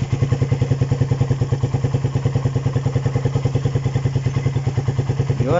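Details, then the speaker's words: Raider 150 single-cylinder idle after cam chain tensioner reset: even thump about nine beats a second, the previous ticking (lagitik) gone; healthy, steady idle. "medyo nawala nga yung lagitik mga idol. Yan, okay na. Nawala na yung lagitik na narinig natin dyan."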